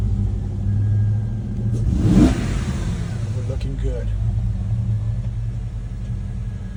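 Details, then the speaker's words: 2007 Mercedes GL450 V8 after fixing cylinder eight misfire (bad ECU replaced, then a not-fully-connected injector connector reconnected): even idle, one quick rev climbing and settling cleanly, no stumble or popping; all cylinders firing. "And it feels good. One more time. So again, it was a bad ECU"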